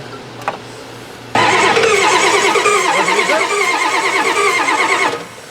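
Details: Four-door Bronco that sat about six years, with old fuel and a melting starter wire. The starter spins the engine at about three turns per second for nearly four seconds and it never fires. Crank no-start.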